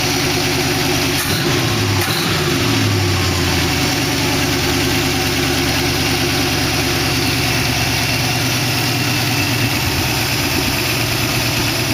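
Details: 1914 Dodge Brothers rat rod roadster with 1962 Oldsmobile 392 V8 and Hydro, first start with no coolant in it: short blip then deep, even V8 burble; lifters ticked at first start but calmed down, now even, healthy idle.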